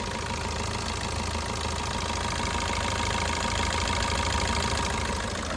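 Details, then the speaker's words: 2015/16 Suzuki Ertiga VDi diesel at idle: even steady clatter with no extra ticking, knocking or timing chain noise; engine sounds healthy. "Noise గనుక tickling గనుక ఏం లేదు guys timing chain sound అనేటిది like ఏదైనా engine sound అనేటిది ఏం లేదు"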